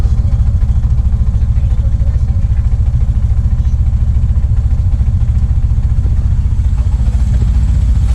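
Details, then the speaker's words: Bajaj RE three-wheeler converted from CNG to LPG (Wingas regulator), warming up in the morning: switched to gas with leftover petrol still in the carb, the mixture runs too rich, giving a low, lumpy, uneven single-cylinder idle that stumbles toward stalling. "Nah, dia bakalan mati. Mati dan berebet tuh. bakalan berebet nih karena bahan bakarnya kelebihan."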